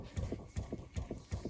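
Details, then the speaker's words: 2018 Chrysler Pacifica with engine off, recirculation actuator re-energised after unplugging and reconnecting: steady soft thumping two or three times a second as the faulty actuator flaps the recirculation door back and forth; actuator needs replacing. "And once we did that, it basically reactivated or energized the power to the actuator, and you can hear it flapping."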